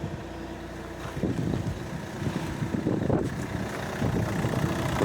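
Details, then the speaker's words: Opel Astra H Z17DTH diesel, fuel system Bosch, idling after engine replacement following a failed overhaul, cooling system being checked: steady even low rumble, no knocking or clanking, normal idle. "так двигун замінили зібрали зараз перевіряємо систему охолодження нічого не стукає не грюкає ось"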